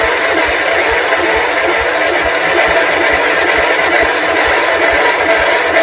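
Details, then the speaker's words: 1971 John Deere 140 H1 single-cylinder engine cranks steadily at a couple of turns a second without firing; owner is unsure whether the exhaust valve is staying open. Cause unconfirmed. "It tried, so at least we know it's doing something. We didn't get it to start, unfortunately."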